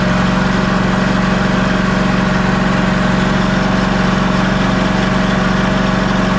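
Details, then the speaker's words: Ariens Ikon XD 52-inch zero-turn mower, Kawasaki FR691V V-twin, run about 10 seconds after refilling oil to the full mark during annual service; smooth, even idle with steady low hum, no misses, knocks or hunting; normal idle. "so I am going to crank this thing and let it run for just a 10 seconds"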